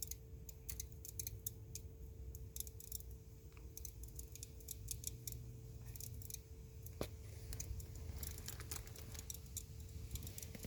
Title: 2021 F150 crackling noise after shut-off